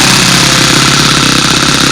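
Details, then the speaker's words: OS Max F glow engine in a Windy Typhoon plane on its first break-in run, needle 3–4 turns out and held under 4,000 rpm: a steady, high buzz with fast even firing and a wet, burbly edge; it is running rich and spitting raw fuel and oil. "And the first thing you want to make sure, even if you have a Venturi, you want to keep that RPM down for the first hour. Under 4,000 is recommended, at least an hour."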